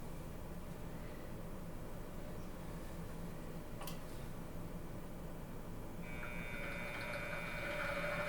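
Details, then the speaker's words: Micro drill driven by a freshly fused round motor-pulley belt: soft hum with light uneven chatter about four times a second from the wheels; loose pulley collars need tightening to make it quiet. "we just need to tighten these collars because what you're hearing is these wheels going back through all the little chatter yeah once we tighten these up it should be really quiet"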